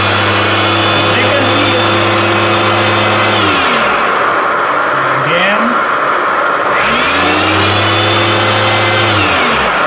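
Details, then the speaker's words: Electrolux vacuum cleaner power head tested plugged in: motor whirs up to a steady even hum, winds down, spins back up cleanly; power head fine, fault was in the hose handle. "so during my investigation I found out that this power hat is actually all good"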